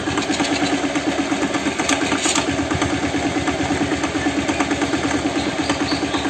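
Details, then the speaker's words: Older Honda Vario scooter at idle, oil about two months old: steady, sharp tok-tok tapping about three per second from the engine middle, not the CVT, clearer with exhaust blocked; internal knock, cause unconfirmed, fan area checked first. "nah suaranya mesin halus-halus tapi kayak ada suara kayak tok tok tok gitu teman apalagi kalau kita tutup lubang knalpot ya ini suaranya jelas banget"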